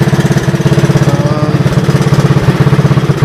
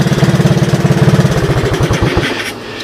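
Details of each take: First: 1984 Honda ATC 200S with a new carburetor and replaced gas tank, on a roughly 90°F day: quick, steady single-cylinder thumping, even and unbroken. It idles healthy and starts right up. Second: 1984 Honda ATC 200S three-wheeler with new carburetor, about 90°F: turning the headlight on makes the single-cylinder idle slow clearly, beats spreading out and fading within seconds; idle speed drops under electrical load.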